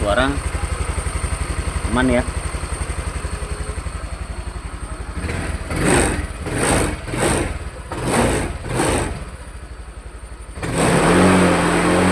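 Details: Honda Vario 150 scooter with RVN Pro piston fitted, after throttle-body reset procedure: fires up quickly, even putter, several clean throttle blips returning smoothly, no knocking; normal idle and rev.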